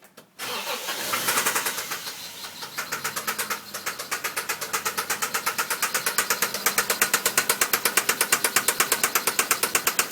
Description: Engine knock in my '92 Cressida Grande